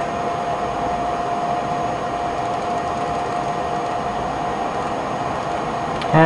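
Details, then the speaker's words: HP Pavilion Media Center PC running Windows XP Media Center Edition: the heat sink and cooling fans spin up to full speed, a steady even rush of air with a faint hum. The mouse and system freeze briefly whenever they spin up. "it's not only that whenever the fans speed like spin up and if I'm moving the mouse the mouse actually freezes for a split second like everything freezes"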